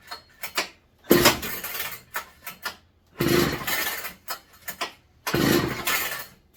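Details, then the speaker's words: McCulloch MC49 chainsaw, first run in over 40 years after rebuild, fitted with a 090 carburetor: three pulls each catch with a brief sputter and die; spark plug had been loose, owner suspects flooding or too much fuel. "acting like she's kind of flooded reset gotta figure out what's going on here"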